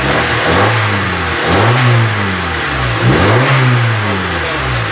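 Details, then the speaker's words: 1995 Honda Civic EG manual, after a no-start: two clean throttle blips rising and falling from idle, no rattling; normal revving. "I don't hear no damn rattling when you're hitting it. Sounds good to me now."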